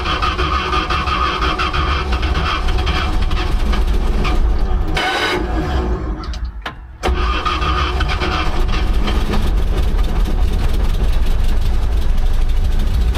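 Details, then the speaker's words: Old "800" truck, just revived after distributor retiming, in gear and moving with oil pressure and amps on the gauges: steady, even engine note with a solid low rumble and no knocks or misses as it pulls away. Normal running. "Okay. So, it runs, it moves."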